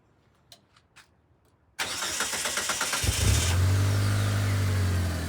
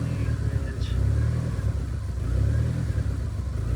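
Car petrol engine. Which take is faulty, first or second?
second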